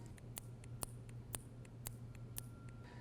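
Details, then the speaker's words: SnowDogg VXF V-plow valve test, coil fitted and 12 volts applied: sharp crisp clicks about twice a second as the plunger snaps in and out; valve operating correctly. "And what you'll do is bring 12 volts and as soon as I apply 12 volts, you should hear the plunger moving in and out. Should be a little clicking"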